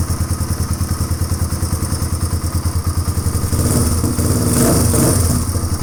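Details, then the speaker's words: 1997 Suzuki DR350 single after new flywheel key fitted: uneven thumping at about three beats a second, surging and popping, backfiring and won't hold a steady idle; idled faster minutes earlier with identical carburetor settings. "now it's backfiring there's something funny happening minutes ago it idled a lot faster than that with the exact same carburetor settings everything the same"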